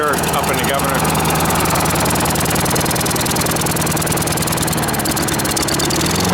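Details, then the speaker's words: Small engine running on choke: steady low drone that bogs and never revs up; debris on the governor is suspected of holding it back, before the shroud was removed to inspect. "governor yeah so it's running with the choke that you hear it bogging I have a feel I'm going to pull this the Shroud off of here we'll find a bunch of debris on the governor that's causing it not to rev up"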